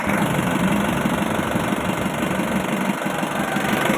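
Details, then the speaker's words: Isuzu Elf turbo diesel after valve clearance adjustment, started with the turbo fitted: even diesel clatter at steady idle, regular firing with no loud knock or miss; valves sound properly set, engine normal. "Nah, coba hidupkan mesinnya. Ini sudah pakai turbo ya teman-teman, sudah ada turbonya."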